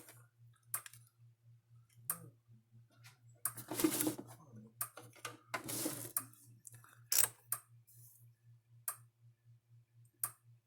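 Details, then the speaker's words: Gallagher S50 solar electric fence charger, powered up after repair, pulsing normally with soft sharp clicks about every 1.5 seconds over a low hum; quiet because transformers are sealed in epoxy. "Pretty quiet unit for the most part, because the transformers are fully sealed in epoxy, so you have to worry about the why not very loud. Yeah, epoxy muffles them, muffles that snapping sound."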